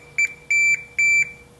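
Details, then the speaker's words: Timer control board, unpowered; three steady high-pitched continuity meter beeps across relay hot-leg contacts show dead short; relay fused on even when unplugged, the only failed component, not other electronics. "that that is a dead short through that through that relay that relay is on right now when the circuit's not even plugged in"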